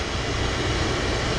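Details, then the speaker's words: Oil-fired furnace burner at -15°F after refilling the low fuel tank and bleeding the line until fuel runs clear with bubbles about 99% gone: steady even roar, no sputter or dropouts, firing cleanly; expected not to trip offline again. "Now I'm confident that if I leave, it's not going to get another air pocket or air bubbles coming through and trip this offline. So now we should be good to go."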